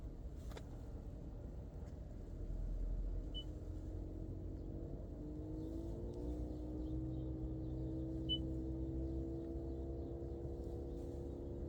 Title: Prius prime HVAC buzzing noise, maybe auxiliary heat pump going out?